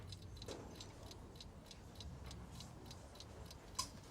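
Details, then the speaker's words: Restored 1960s wind-up alarm clock, silent for over 30 years before repair: crisp, even ticking about four beats a second, described as a nice, pleasant tick; the movement runs healthy. "is such a nice, pleasant tick. When I hear the tick of the clock, it takes me back to sitting at the bottom of the bed while Granddad was sleeping after a heavy night shift, knowing that things are silent enough for my Granddad to rest."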